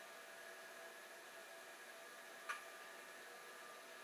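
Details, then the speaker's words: Old hard drive switched back on after a shorter-than-expected spin-down, owner wondering if a drop of oil is needed: faint, steady high whine with one small click as it runs evenly again; normal spin. "And the answer is yes, it is spinning. Well, this is encouraging."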